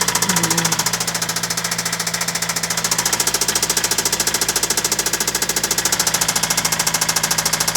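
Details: Toyota Celica with newly installed JDM replacement engine at idle after restart: hard metallic knock, steady about three and a half per second, never fading; serious internal knock, owner thinks engine needs replacing.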